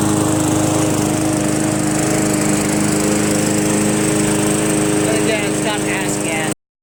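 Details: MTD Yard Machines 20" push mower with Briggs 300E engine, after carb clean, throttle spring adjustment and draining water from gas tank: steady even petrol beat holding speed under mowing load, no surging, misses or knocks; normal running under load.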